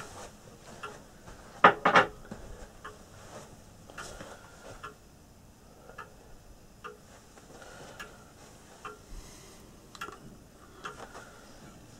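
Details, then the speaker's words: Early Scottish tall case clock at first start-up after restoration: light ticks about three a second with uneven spacing between tick and tock. The pendulum is slightly out of beat. "I'll just adjust the bead on it a little bit, just bend the crutch."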